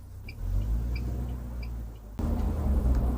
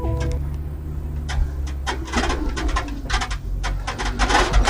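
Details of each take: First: UAZ Patriot with automatic gearbox, cabin on the move after about 300 km including 50 km of gravel: only steady road rumble and tyre hum, no creak from the rear door since the heel rest pad fix. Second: UAZ Patriot automatic, driving over bumps: sharp, irregular squeaks and creaks over low road rumble from the rear door in the boot area, caused by the door's thrust bearing rubbing and dark shavings squeaking.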